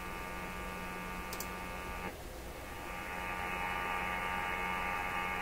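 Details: Sweep generator sweeping every 10 milliseconds, tuned in on an RTL-SDR receiver during radio coil testing; steady low buzz with faint fast pulse; normal sweep generator buzz.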